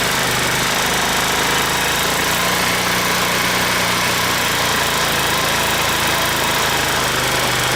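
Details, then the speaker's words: 150cc scooter with no throttle: erratic idle that suddenly races up and hunts, with strange noises, idle screw turned way up to stop stalling; symptoms of a vacuum leak, not yet found. "ery erratic idle and making strange noises and I can't get the idle right every time I just the idle all of a sudden it goes up like crazy so it has the symptoms of a vacuum leak"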